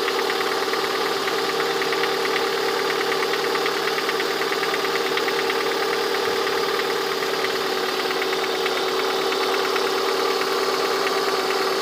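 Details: Lada 21126 engine at steady idle with light, fairly quick tapping inside the engine, heard most clearly near the end of the recording; the owner asks what the sound is, origin unknown.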